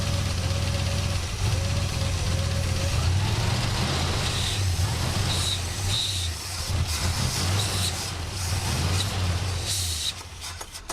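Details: 1967 Buick GS340 at cold start: a lumpy, uneven low idle with irregular firing beats that never settles. The owner blames the ignition system, and faulty points were later replaced. The remanufactured carburetor's idle circuit was also flowing poorly.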